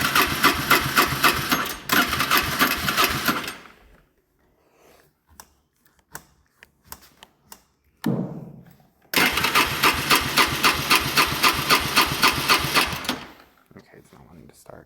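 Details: Four-wheeler, about 20 years old, long sitting in a barn, first-time repair: two bursts of quick, even cranking at about four pulses a second, each stopping with no firing; cranks but won't start.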